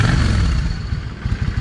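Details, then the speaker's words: Yamaha 650 V Star, cold, after the front carburetor's 22.5 jet was replaced with a 25; the old jet was not clogged. Lumpy exhaust note rises and falls cleanly with no pops or backfire. Normal revving. "No hesitation. And that was going from a 22 and a half airfield jet to a 25."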